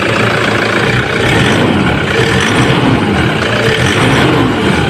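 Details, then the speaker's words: Toyota Hilux diesel after turbo replacement, at steady idle: even diesel clatter with no turbo whistle or whine; the previous turbo noise is gone. "sige okay hindi na siya maingay nakakabit natin"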